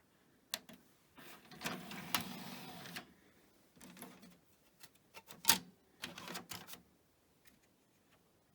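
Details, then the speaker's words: Pioneer DVL-K88 laserdisc player bought as junk from Japan, first CD test: quiet clicks and short whirring bursts as the tray loads and disc spins up cleanly, then plays; normal loading and spin-up. "Oh, play. Excellent. At least I've got a working CD player."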